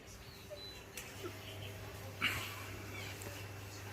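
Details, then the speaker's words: Ceiling-mounted fan motor run without blades after a blade shattered and a non-original replacement shook badly (owner suspects bushing); shaft is tight; low steady hum, faint hiss, no rubbing or rattle. Normal motor running without load. "อ่าประมาณนี้เงียบนะก็จะมีเสียงบ้างนะครับเสียงตัวแกนมอเตอร์แบนชารนะฮะ"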